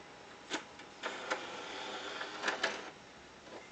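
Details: PS3 with disc inserted, noise started today: irregular dry clicks and short scraping bursts from the drive at uneven intervals; disc drive mechanical noise.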